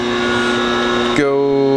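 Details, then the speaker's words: Three-phase power converter feeding a Brother TCS2A VMC, newly hooked up after electrical issues were resolved: a steady electrical hum with a firm motor drone settling into an even note. It runs smoothly, making good 3-phase power. "In fact, we'll fire it up just to give you an idea. So that's live. She's running. Making good 3-phase power, and that is run over to the VMC."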